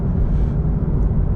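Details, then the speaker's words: FRS/BRZ/86 with automatic engine converted to manual, equal-length headers, two resonators, driving: steady deep even exhaust rumble, sporty track-car sound, no ticking, puffing or rattles; healthy engine and exhaust. "so yeah e for life it sounds more like a sports car a track car than just like a score whatever"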